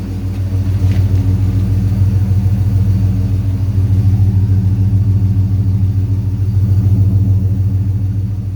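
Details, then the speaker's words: 6.1 HEMI V8 swapped into a 1970 Coronet, warm with temperature climbing to 197: deep even burble at steady idle, smooth and regular with no misses or knocks, no longer running rich. Normal idle. "dude it it freaking idles and it runs really really good"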